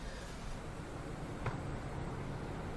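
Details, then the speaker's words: DEEPCOOL LT720 liquid cooler radiator fans replaced to reduce noise, i5-13600KF at 100% Cinebench load for about 4 minutes: only a soft steady low whoosh, no ticking, rattle or whine; fans quiet and healthy. "Mặc dù tôi đang cho Cinebench tải 100% ngay bây giờ im lặng"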